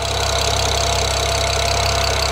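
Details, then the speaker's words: BMW E92 335i with swapped N54 engine idling during its first heat cycle: smooth even idle with no ticking, unlike the old engine's audible tick; normal. "but the engine sounds really smooth my old e92 engine had an audible tip when you left it idling like this so this sounds better hopefully it is"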